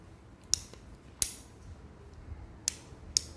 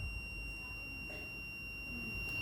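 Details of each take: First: Two-door refrigerator defrost timer multimeter test: a few sharp probe clicks, then a steady high continuity tone on terminals 3-4. When the timer is turned, the tone should stop and terminal 2 should then connect if the timer is good. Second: Two-door refrigerator defrost timer checked with a multimeter on its terminals while the timer is rotated: clean, steady high-pitched continuity tone throughout; timer contacts switching properly, timer good.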